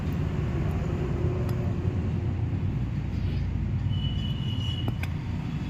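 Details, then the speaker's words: Maruti Suzuki Baleno petrol AC compressor running: steady drone with a faint light whirring noise from the compressor; customer kept using it, and black sludge later built up in the system. "Friends, ఇందులో కంప్రెసర్లో లైట్గా sound వస్తుంది. Customer issue అనమాట."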